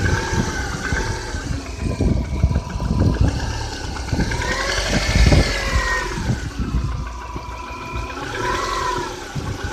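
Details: Subaru Outback EJ251 on Liqui Moly 5W-30, 5,000 km after an engine rebuild, at idle. Sharp, irregular mechanical knocks over a rough idle, coming and going with small rev changes. The knock eases slightly when warm; cause unknown.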